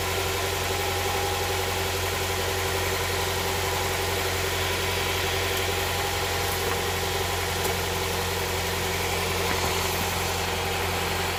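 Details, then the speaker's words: Honda Prelude SH after oil cooler/adapter gasket replacement, oil filter refitted, started to check for leaks: even, steady idle with smooth low drone, no knocks, misses or surging; no leak seen after about ten minutes. "all right we gotta give this a try let's start up the engine and see if there's any leakage"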